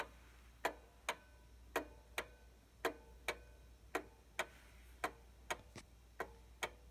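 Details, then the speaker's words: 1800s pendulum clock after levelling: thin ticks about a second apart fall in uneven pairs with a limping beat; verge bent too far sounds weaker and worse, to be backed out for an even beat. "sounds weaker and worse we'll back out no more and even"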